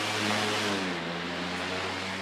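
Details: Sunbeam 5-speed stand fan, replacement fan, run on high: smooth steady airflow rush with a low, even motor hum and no rattle or ticking; fan runs healthy.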